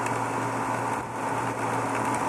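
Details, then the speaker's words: Variable-speed pool pump ramped up to 2750 rpm: steady hum with gravelly crackle like chewing rocks, cavitation from water starvation with nothing in the impeller; opening the spa drain to add water stops it. "sounds like it's tuned on rocks so 2750 we got pretty good cavitation going on"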